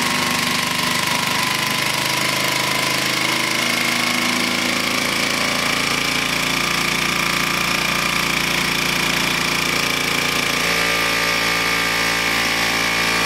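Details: Vintage Flymo hover mower after reassembly, carburetor believed out of adjustment, kill wire not working: small two-stroke buzzing unevenly at low revs, speed dropping about two-thirds through; low idle, rough running, cause unconfirmed.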